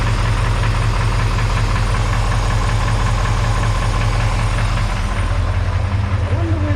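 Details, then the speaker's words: Chevy 350 small block V8 at rough deep idle, overheating past 180 with coolant bubbling: uneven light rattle, a little louder on one side. Source unclear after stethoscope checks. "it is a rock house let sound a little stronger on that side sometimes sometimes it sounds more rety here but I don't know"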